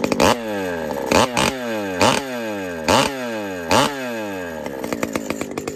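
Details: Pioneer P-41 chainsaw with big bore kit (P-74), running after repair (burning smell): blips to a screaming rev about once a second, then drops back to a steady idle. Starts and revs cleanly, running slightly rich.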